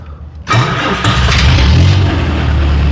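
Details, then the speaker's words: 30-year-old Bobcat 743 diesel skid steer restarting after bleeding air from fuel lines: fires straight away after short crank and settles into steady, even diesel idle; the no-start was air in the lines, not the injection pump. "Yeah, that's better. Oh, thank goodness. I really did not want to do an injection pump on this thing. Oh, that's all it was. I was just freaking pulling air from those lines."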